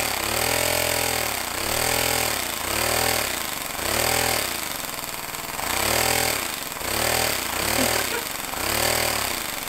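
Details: Homemade compressed-air engine at 50 psi with a small lever-operated diaphragm-valve throttle: light, rapid chuffing whose speed swells and eases in waves as the throttle opens and closes; normal running under throttle.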